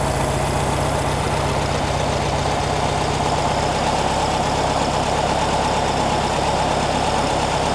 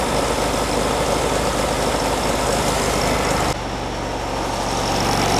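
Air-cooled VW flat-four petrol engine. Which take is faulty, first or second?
second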